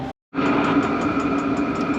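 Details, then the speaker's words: Diesel air heater in a Promaster van on first start after priming: steady fan hum with light, even fuel pump ticking about four per second; white smoke at first use is said to be normal; normal start-up. "but i could hear it clicking away and the fan's on so in a few minutes i should have hot air blowing out"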